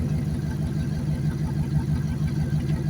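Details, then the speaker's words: Junked Dodge Dakota, warmed up: even low idle with light regular patter of fuel injectors firing, no lifter tick, no misses, smoke gone; smoothed-out, healthy warm idle. "It actually sounds really nice. It's smoothed right out. No more smoke. It's that engine. There's not a I don't hear a lifter tick. All I hear are the fuel injectors firing."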